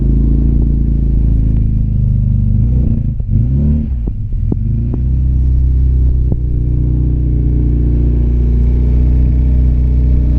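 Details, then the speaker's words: Classic RX Mini spare engine, fresh oil, filter and water, first start attempt with throttle: a deep, uneven, lumpy rumble with sharp pops, running rough and smelling bad. Owner suspects fuelling set for a bigger engine and possibly emissions; cause unconfirmed. "sound like it's like uh popping, isn't it? Yeah, but the engine not probably the the car's fueled for a bigger engine and then obviously the emission might not be right either."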